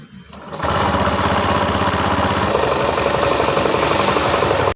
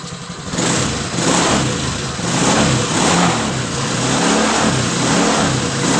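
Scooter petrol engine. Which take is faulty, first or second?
first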